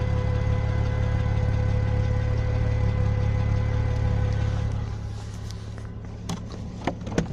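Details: Audi A6 C4 with a new fuel pump that failed after two days, one start attempt unsuccessful: steady mid-pitched hum over the idling engine that fades at shutdown; fuel pump whine.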